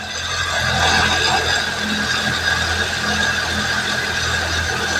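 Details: Suzuki Fun with no drive, engine idling, clutch being released from fully depressed: harsh steady grinding with a thin whine.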